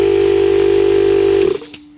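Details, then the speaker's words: DIY 12V air compressor with 40 L tank built from recycled parts, powered from a battery. Steady motor hum with a strong even tone, then a clean cutoff with a small bypass-valve click; running normally. "right and you can hear it open and close a bypass valve when it hears and then stop and then opens a cup again"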